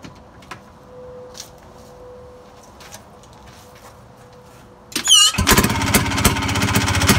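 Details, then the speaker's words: Harley golf cart engine run with no exhaust/muffler attached. It fires up with rapid, sharp cracking pops on every cycle, loud and raw from the open pipe, likened to a .22 pistol. "every cycle the engine sounds like a fire of a 22 pistol"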